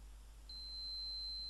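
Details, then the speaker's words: Gigabyte GA-Z77X-D3H motherboard powers up but won't boot; CPU core voltage and CPU presence being checked, onboard graphics with no monitor attached, fan spinning: steady unbroken high-pitched POST beep with no pattern; board never passes self-test. "blips so what that means continuous beeping noise solid bleeping term says that the fan has failed pci graphics card not being seated well"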